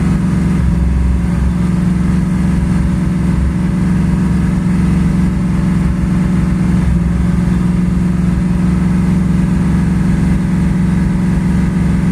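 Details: 1984 Ford Mustang 5.0 V8: rough, loping idle that keeps stumbling and missing beats; ignition misfire from primary (12 V side) ignition failure, pickup coil and module already failed.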